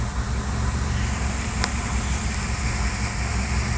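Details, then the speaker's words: Car with electronic throttle body, after throttle body adaptation done without a scan tool to fix rough, high-rpm idle; engine now idles below 1,000 rpm, steady and even with no hunting or surging: normal idle. "So let's spark the engine and see. So you can see automatically the RPM is below 1. Isn't that awesome?"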